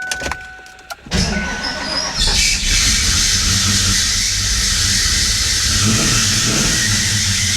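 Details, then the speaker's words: Saltwater-flooded 1994 Ford Mustang GT with a supercharged 347 stroker and fuel pressure at only 10 psi: it fires and idles rough with a harsh, steady, high-pitched screech from the smog pump, seized from being underwater, not the supercharger. "it turns out is not the supercharger after all that was making all that noise it's the smog pump the smog pump is locked up from being under underwater"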